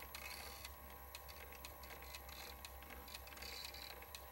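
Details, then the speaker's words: First-version Wolverine Reels2Digital MovieMaker 8mm/Super 8 converter, opened up; take-up reel keeps stopping. Faint uneven ticking about once a second over a quiet motor hum, a recent noise; owner suspects the sticky, melting drive belt gunking the pulley. "I don't know if you can hear the noise that has started up this is a fairly recent addition to the operational sounds of the Wolverine I believe it may have to do with that sticky drive belt"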